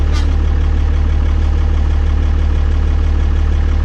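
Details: 12-valve Cummins diesel after installing new 5x0.016 injectors and refitting the lines: deep, steady idle with an even low pulse and no misses or knocks; normal idle.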